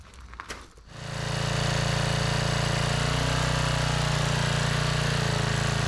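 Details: Generac 5000 W generator pulled from the trash, restored with a new carburetor and rewired kill switch: after a brief start-up it settles into a steady, even hum with no misses or knocks. It is running normally.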